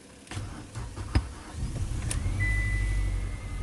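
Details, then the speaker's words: Mitsubishi Lancer sitting about 12 months, previously dead with no crank or click, manual with clutch pressed: few uneven cranking thumps, then catches and settles into steady low idle; starts and runs normally. "here we go the engine is running finally we got it running oh finally nice nice it's running"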